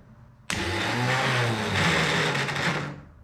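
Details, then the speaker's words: Starter pulled from an abandoned 1980 Datsun 720, spun on the bench from a jump pack: gritty, crunchy whir of uneven pitch, barely hanging in there; weak starter motor. "a little crunchy yeah she's working she sounds like she's barely hanging in there"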